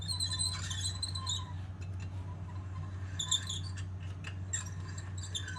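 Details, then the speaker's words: 1972 Honda SL100 has chirpy, irregular squeaks in bursts over a low hum from the rear wheel area. The rear brakes are suspected and were to be checked with the wheel off. "I'm going to be taking off the back tire and checking out the brakes in it, because you can hear something's a little squeaky."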